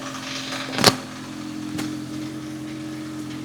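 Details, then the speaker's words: MK2 Golf GTI after further idle troubleshooting and idle control valve fix: low steady idle hum holding an even pitch without hunting or surging, only a few light clicks, an alternator rattle; idle now smooth, normal. "That's sounding pretty smooth, pretty sweet now. I'm happy with that. Um, we definitely sorted out the idling issue."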